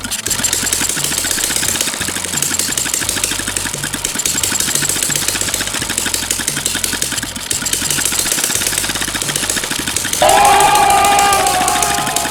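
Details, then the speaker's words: Small engine-driven water suction pump, hard to start after long disuse, now running. Quick, even firing at about four beats a second with no stumbling; it idles smoothly and normally. "Được rồi bạn ơi, cuối cùng thì động cơ cũng có thể sáng êm và bình thường cũng sáng chậm được rồi bạn ơi"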